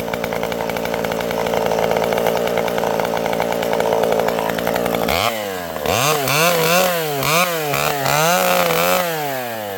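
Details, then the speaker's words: Vintage chainsaw with a governed carb cutting a tree that had been leaning after storms: a steady wide-open buzz in the cut, then a rhythmic rise and fall as the governor hunts off the cut. The saw is running beautifully. "This old girl is running beautifully. You can hear this thing has a governed carb."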